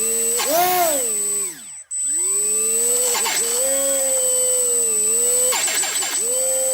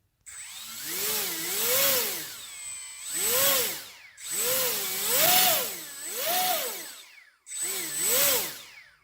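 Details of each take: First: HobbyKing EZIO 800 electric RC glider motor at about 25–30% throttle on a 2-cell 800 mAh battery (same as on 300 mAh, so not battery-related): uneven whine with grinding stutters and a brief cutout, a defective ESC. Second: HobbyKing EZIO 800 electric RC glider motor in a throttle speed test: smooth whir up and down through throttle sweeps, no stutter, grinding or strange noise.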